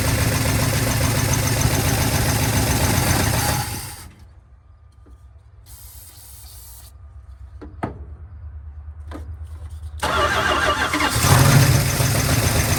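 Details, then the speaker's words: 1970 Dodge D100 383 big block, sat 30+ years: loud steady running, drops quieter then picks up again, no knock or miss; runs fine. "She runs. Okay, that's good enough for me."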